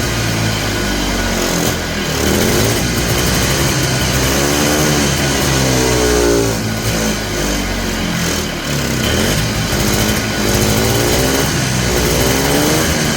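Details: Polaris Trail Boss 250 two-stroke, just revived, choked: uneven and hunting, surging and sagging instead of holding idle. The owner suspects the carburetor idle circuit is still plugged and plans more carb work.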